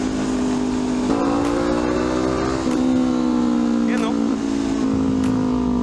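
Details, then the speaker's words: Honda CL500 twin after ECU remap correcting air-fuel ratio (upgraded exhaust, high-flow air filter): clean exhaust note rising and settling with throttle, smoother faster response, longer RPM range, no popping or banging on overrun where it used to backfire. "Smoother throttle and faster throttle response. So mas mahaba na nga yung RPM ngayon."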